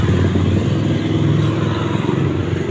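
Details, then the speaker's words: LG 15 kg washing machine after replacing seized drum bearings (6205 outer) and seal, spin test before cover refitted: steady, even, smooth drum rumble with no knocking or grinding; normal spin. "Belum kita pasang nih, putarannya udah stabil, halus, tinggal kita tutup, udah siap untuk dipakai."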